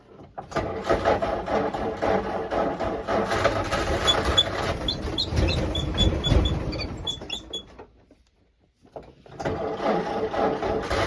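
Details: 1949 Jeep CJ3a, hard starting after sitting since last fall despite new coil, points, rotor, distributor cap, clean plugs, fresh fuel and a two-year-old carb: uneven, lumpy, ragged running that stumbles and nearly dies; owner suspects points or a stuck valve.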